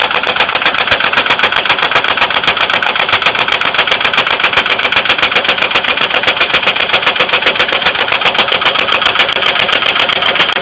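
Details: 2002 Ford Windstar 3.8L at idle with a sharp, even tapping of about four knocks a second; oil level raised with light-brown milky oil, some spilled on the ground, appearing the day after it ran fine, coolant not significantly low.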